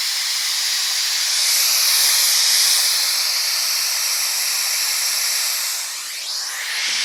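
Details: BlackBerry phone: loud steady hiss from the speaker, almost all treble with no low end, swelling and dipping slightly; owner suspects it followed being charged too long; cause unclear.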